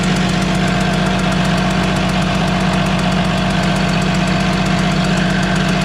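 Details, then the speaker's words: DT360 diesel with P7100 pump, after new crush washer on injector: loud idle with sharp regular chuff-tick about four per second over clatter, still leaking; cause suspected hardened silicone on washer, not confirmed. "Well, as you could hear, started up again, still leaking. I think what happened is we used like a silicone to hold those crush washers onto the injectors while we were putting them down in the hole."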